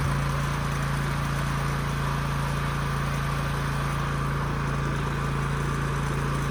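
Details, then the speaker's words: Husky generator that sat five years with bad fuel and a leaking tank, after carburetor cleaning and a new governor spring: steady, even drone at one constant pitch with no hunting or surging, holding governed speed near 61 Hz. "So the new spring definitely makes a difference."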